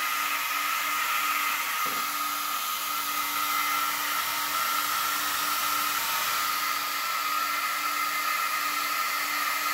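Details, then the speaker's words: Two Yeah Racing 40x40 Signal 10 cooling fans on a new aluminum motor shroud for a Losi DBXL-E V1 RC car, bench-tested plugged in: steady, even whir with clean high whine, no rattle or ticking; healthy. "let's give it a plug in and see what it sounds like that's not pretty wicked"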